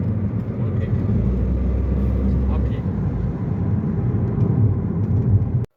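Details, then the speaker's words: Toyota Vitz after repair for poor pickup, jerking and engine light (CVT oil changed): smooth, steady low engine drone under acceleration with no stumbles or surges; pickup now good, no jerking. "गाड़ी की पिकी भी बहुत अच्छी हो गई है झटका भी नहीं मार रही है सहित भी ठीक कर रही है और इंजन सही भी नहीं ए रहा"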